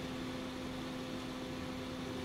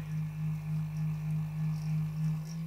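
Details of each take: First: Noisy computer power supply: cooling fan powered directly from a bench supply (red to red, black to black) runs smoothly, just air noise with a faint steady hum, no ticking or rubbing; normal fan running. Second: Computer power supply fan: deep droning growl pulsing about three times a second that vibrates the desk and sounds like an old refrigerator, caused by very dry fan bearings.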